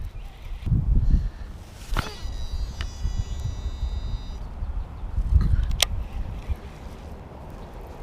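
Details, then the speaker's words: Shimano Metanium DC baitcasting reel with I-DC5 brakes, casting a 3/8 oz jerkbait: clear high whine rises during the cast and holds about two seconds; normal electronic brake sound. "you guys can hear that DC whine hopefully you can"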